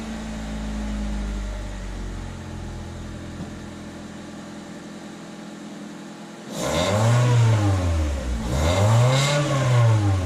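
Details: 2000 Honda Civic, eBay header, test pipe with cat removed, OE piping and muffler, resonator fitted in the wrong direction: quiet idle, two rev blips, quieter but still buzzy rasp. Raspy exhaust.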